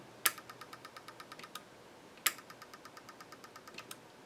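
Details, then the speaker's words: Epson HX-20 printer, gears gunked up, not yet lubricated, feed button pressed: quick light ticking several per second with sharper snaps but mechanism not turning; feed not working, cause unconfirmed, lithium grease planned. "so you can hear that it's kind of making a clicking noise it's definitely not turning"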